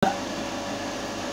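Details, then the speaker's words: Jet pump after modifying its leaking lower tank without grinding or welding, now feeding a storage tank: a brief start thump, then a steady unbroken whirr with no surging or sputter. Water flows into the tank smoothly, no leaks at the joints; normal running. "kita cek dengan suaranya bagaimana kita lakukan pengecekan ini suaranya sangat stabil sekali tidak putus-putus mendadak menandakan air tersebut tidak tersendat-sendat masuk ke tangki nya"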